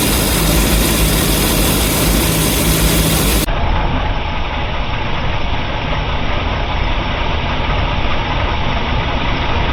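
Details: 454 big-block Chevy marine V8 in a boat: deep lumpy idle with uneven stumble, constant misfire on cylinder 8 at 8° BTDC (none at 23°); pushrods, compression and vacuum leaks checked fine, plug swap no change; cause unknown.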